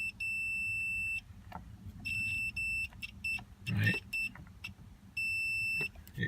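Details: 2002 Toyota Sequoia horn fault (works only when wheel turned) mimicking bad clock spring: meter gives clean, solid continuity tones; steering column ground path checks good after cleaning and greasing, ground side was the problem.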